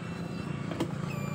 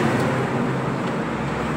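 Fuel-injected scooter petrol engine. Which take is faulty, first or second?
second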